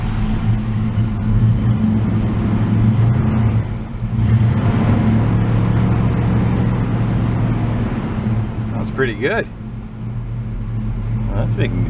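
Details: 1986 Oldsmobile Cutlass Supreme Brougham V8, carbureted, idling after sitting five years: deep, steady rumble holding an even idle with no knocks or misses, no smoke seen; engine runs fine, normal idle.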